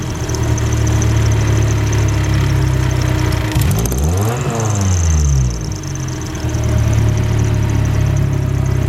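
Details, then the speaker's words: Car engine started cold right after the ECU was reinstalled. Steady, even idle, slightly fast while the ECU adjusts to the cold temperature sensor; expected to settle as it warms. Normal cold-start idle. "so since it's cold um the ecu is trying to adjust with the temperature sensor but this should warm up real quick"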